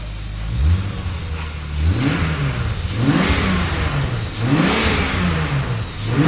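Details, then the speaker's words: BMW E30 with turbocharged S52 six, finished build; several clean blips, revs climb crisply and drop back to a steady idle with no knocks, misses or rattles: healthy revving. "we're gonna let you guys hear it give you a few revs might do a little burnout"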